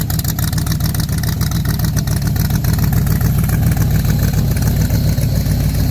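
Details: Factory Five MK4 V8 at idle through side pipes after installing GP headers: deep steady burble, even pulses, no leak puffing or ticking; previous exhaust leak fixed.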